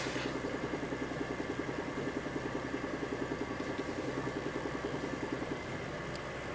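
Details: VAZ 21124 1.6 16-valve petrol, cold idle: dull, even knock about twice a second keeping time with engine speed, from the timing-belt side (right from the cabin); disappears as the engine warms, sometimes at 1500 rpm in first gear; cause unknown.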